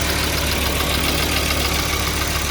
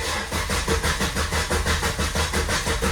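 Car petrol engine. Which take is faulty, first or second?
second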